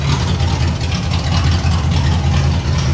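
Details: 1989 Pontiac Trans Am GTA V8 at warm idle after fuse fix, deep steady rumble firing evenly on all eight cylinders; normal idle.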